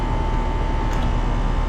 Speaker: So I found the basement thermostat and switched it to cooling. And I hear the refrigerant. Let's just go outside and make sure that nothing catastrophic is happening. Yeah, she's running now.